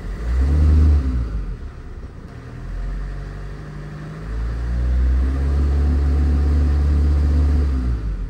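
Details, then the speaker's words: Renault Master 3 diesel van, parked, revved twice after OBD check showing no fault codes: second rev climbs slowly and unevenly; acceleration hesitation (flat spot) persists, cause unconfirmed. "J'ai encore le trou d'accélération. Le camion roule."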